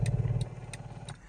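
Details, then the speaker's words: 2011 Mercedes-Benz GL450 4Matic V8, power steering column adjusting in and out: short, quiet electric whir from the column motor that fades off; small noise but quiet, normal operation. "a little bit of noise when going in and out, as you can hear. The little motor on it's just making a little noise, but it's pretty quiet."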